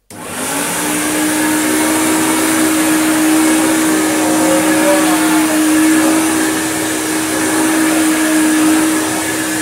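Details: Hoover Turbopower UB088 upright vacuum after fixing a spade connector (faulty since new), with brush roll fitted under load: steady, even motor hum at constant pitch, no stutter or dropouts. Running normally.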